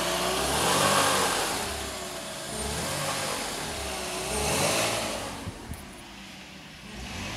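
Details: BMW E46 320i 150hp petrol, cold engine revved: an abnormal extra tone rising and falling between 1700 and 2400 rpm. It disappears once the engine reaches about 80°C.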